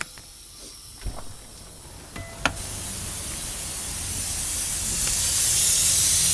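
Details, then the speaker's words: 2019 Kenworth T680 MX13 on pre-trip: clicks, then a steady hiss of escaping air from the parking brake valve that grows on releasing the parking brake, from a bad tractor brake chamber. "you can hear escaping. It is more prevalent when you release the parking brake."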